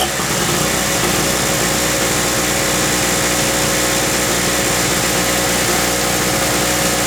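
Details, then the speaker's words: King Canada 950W (800W running) two-stroke generator, about 2 hp on mixed fuel, long-sitting and previously non-starting, first run after carb work: slightly ragged, uneven buzz at fixed speed with a little smoke; running a bit rough, spark plug suspected. "all right I just kick the Drago up and get a little smoke in here run a few folks a little rough but that plug might be carving up"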